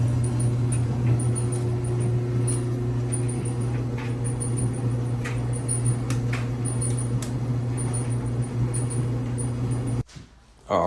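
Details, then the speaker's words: Samsung clothes dryer with noisy operation: heavy, steady low rumble and drone from worn drum support rollers, the back left roller being the main issue; front rollers checked. "you can see the back left roller is the main issue"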